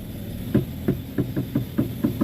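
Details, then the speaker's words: Front-end knock on a car while the steering wheel is turned: sharp dull knocks, about eight in two and a half seconds ("tek tek"). "Nih, itu bunyinya ya, Teman-teman. Bunyinya tek tek [tertawa] tek tek."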